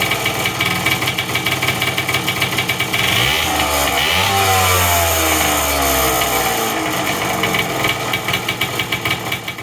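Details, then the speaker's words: Custom Puch moped two-stroke after cleaning rusted head studs and fitting a homemade base gasket: uneven wandering revs with an airy whoosh; the clutch-side crank seal leaks air (stator side looked okay), so a rebuild is needed. "I can hear the air whooshing out the clutch side seal."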